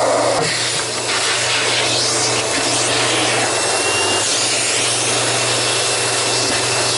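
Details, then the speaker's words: Sharp Twin Energy upright vacuum after a tune-up, with the brush roller run in and lubricated and the old filthy filters still fitted. An even, high-pitched motor whine with a smooth roar and no rubbing or knocking: running normally. "yeah that brush roller is moving smoothly now that it's run in there and I've worked some lubrication into it"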